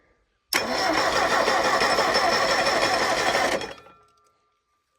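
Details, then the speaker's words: Old Ford Pinto engine converted to propane, driving a well pump, after about five months of sitting, with a new battery, fresh oil and filter, and new wires after rodent damage: three seconds of steady cranking at about four beats per second without catching. Owner suspects it needs full throttle to start. "I think maybe it needs Full Throttle to start it's hard to do this some you have to push that and you can do it one-handed if you do this that's all I'm saying took a little bit to get oil pressure but now I can hear it smoothed out"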